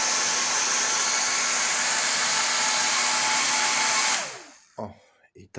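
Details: Professional hair dryer motor, old unit run on the bench before replacement, measured with ammeters: high steady motor whine with fine hiss, running evenly then winding down; commutator and brushes badly worn and grooved.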